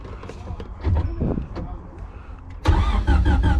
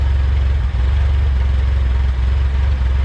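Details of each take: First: Junkyard-assembled LS engine with VTEC head and temporary injectors, hardwired for push start, cranked to prime oil: starter spins the engine in an even beat, about four pulses a second, but it never fires; no power to the fuel pump. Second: Junkyard-assembled LS-VTEC engine, first run: idling very low with a smooth, steady, even thrum and no ticking or knocking; the whole engine runs healthy and very quiet.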